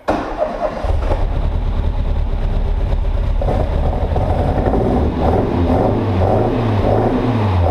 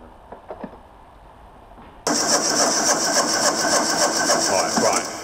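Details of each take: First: Ford Fiesta Mk1 XR2 just converted to Jenvey throttle body and Omex 600 fuel injection, after adding more fuel: engine catches, settles into a steady run, revs rise and fall cleanly with no misfire. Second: Mk1 Ford Fiesta XR2 fitted with a Jenvey throttle body and Omex 600 fuel injection: starter turns the engine at an even pace but it never fires. The fueling map was far too lean; it started after about ten times more fuel was added.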